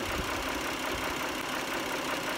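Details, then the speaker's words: 2010 Dodge Journey 3.5L idling after an Amsoil engine flush and oil change with 10W-30, done for a ticking suspected to come from sludge; even, steady idle with no distinct ticking, sounding better than ever. Normal idle. "i started it to back it off the ramps and it uh sounded better than it ever has so i think we might be onto something here we'll go ahead and fire it up it sounds pretty good"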